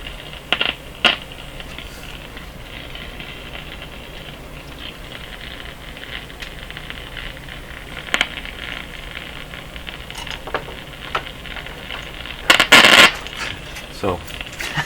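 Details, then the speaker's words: Grundig Satellit Professional 650 on shortwave test signal: sharp scattered crackles over hiss each time a cable bumps another old radio's chassis, which owner suspects carries about 50 volts; not the Grundig's fault. "all that was happening was i was bumping the fringe of this against the chassis there and nothing to do with the radio whatsoever"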